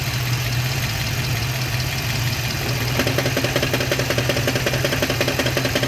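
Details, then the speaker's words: Manual-transmission car with a hole in the transmission, camera under the hood at idle: light uneven knock two to three times a second with clutch engaged that goes away when the clutch pedal is pressed. "right now i'm gonna step on the on the clutch right now and the la the clunking noise or the knocking noise is going to go away"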